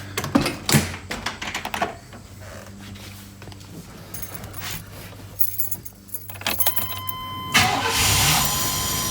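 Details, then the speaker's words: V8 with a completely dead battery, jump-started with a Hulkman Alpha 85S jump starter forced on: after some handling noise, a short crank and the engine catches at once, settling into a steady run. A clean, normal start. "as you can hear, it started right up, had enough power to get this V8 going from completely dead,"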